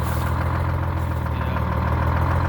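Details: International Harvester with Detroit Diesel 6-71 two-stroke: deep, even diesel burble at steady low idle, no misses or knocks; healthy idle.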